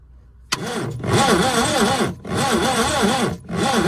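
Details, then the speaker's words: 1988 Subaru Brumby/Brat with air, fuel and spark checked: long cranking bursts with a wavering, uneven chug, never catching, and no pressure felt at the spark plug hole. Low compression; owner wonders about stuck rings or bad valves. "So if I put my finger over the hole, right, and then crank this thing, it should blow my finger away, but it won't."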